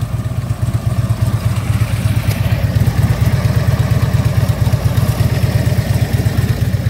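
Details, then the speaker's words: 2010 Harley Ultra Limited: a lumpy V-twin idle with a light chattering rattle about three times a second; believed to be the front motor mount, not the engine, and not yet confirmed. "that little bit you're hearing that is the front motor mount about 60 bucks"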